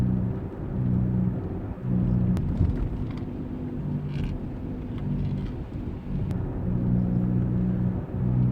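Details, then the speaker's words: 2006 Lexus GS300 at about 40 mph: low steady droning hum under road noise, changing with steering and fading as weight shifts; confirmed a worn front passenger wheel bearing, replaced. "around 40 m hour I hear like this droning and it changes if I move the steering wheel"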